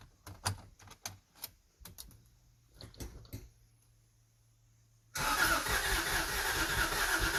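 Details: Subaru SVX after re-plugging vacuum lines, expected not to start: starter cranks in short uneven bursts with gaps, never firing; crank no start, owner then suspects crank sensor.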